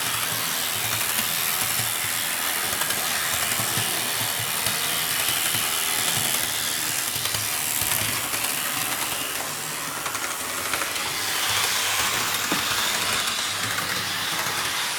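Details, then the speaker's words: Athearn RTR C44-9W locomotive, BNSF 1096, restored with a new Athearn RTR motor, circling the layout loop: steady, even high-pitched motor whir with track clatter, slightly noisy but smooth; runs very nice. "and there it [Applause] is and there it is guys so we were able to restore 1096 and it runs very nice really glad with how I was able to get this fix"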